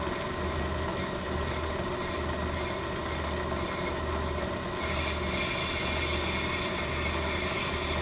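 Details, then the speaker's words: Ammco brake lathe machining a hubless brake rotor, scratch cut to zero the lathe: a steady hum, then a faint scraping hiss joins at about five seconds as the slowly advanced bit just touches the spinning rotor. "Start turning slowly, slowing down as soon as I get close. As soon as I hear noise, I'll lock it in place."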